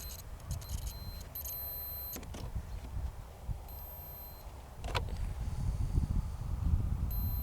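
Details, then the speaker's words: Fuse continuity check with a multimeter on a 1999 Renault Clio 1.6 16V that won't start: short clean high beeps in bursts over a low engine-bay rumble; continuity present, fuses are good, fuel pump supply still suspect. "moi c'est tout simple on prend un multimètre et on vérifie qu'il laisse passer le courant de part et d'autre le multimètre fonctionne"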